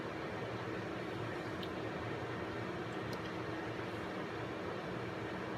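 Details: Intel 386 DX-25 PC left unused 15+ years, just after power-up: steady even fan whoosh with low drone and drive spin-up, no knocking or grinding; it boots but shows power-up errors. Normal fan and drive spin-up.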